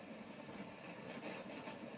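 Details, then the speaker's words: Musician's amplifier switched on: steady even hiss behind everything, plus crackling when knobs touched; noise lingers briefly after power cut. "ou un autre bouton en fait on entend déjà un souffle qui est derrière qui est très gênant pour le musicien bien sûr"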